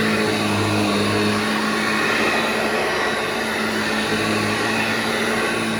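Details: Vintage Hoover 1334 vacuum cleaner after full restoration including a stripped and cleaned motor with cleaned bearings: steady high motor whine with a smooth airy rush, even pitch and no rattles or scraping; healthy.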